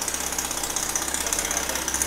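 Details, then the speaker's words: Mazda RX7 FD 13B rotary with rebuilt big Turbosmart turbo: choppy idle with fast hissy rattle from an exhaust leak at the reused original manifold-to-engine gaskets, to be replaced. "you can hear there's a little bit of a exhaust leak turbo leak that's what's making that little rattle situation"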